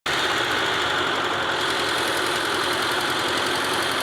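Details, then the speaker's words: Carbureted petrol engine holding a fast, steady idle set too high, with light tappet ticking underneath; the idle was later turned down. "So the other sound of this car was the engine was too high. That is the carburetor fire. So we later reduces it."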